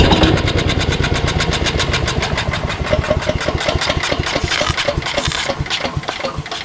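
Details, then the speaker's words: Engine with carburetor on starting fluid, choke on, after a pull: uneven string of loud pops and misfires that never settles into running. The carburetor is suspected. "yeah there's something hinky about the carburetor it does turn over right but very very little bit you know from the amount of fluid that i shove in there i'm surprised it doesn't ignite fully"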